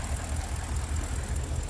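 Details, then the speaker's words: BMW N62 V8 with random multi-cylinder misfire, before repair, door shaking: lumpy, uneven low idle with irregular stumbles instead of a smooth beat; missing on several cylinders. "and you can hear how it works and everything is super horrible super horrible"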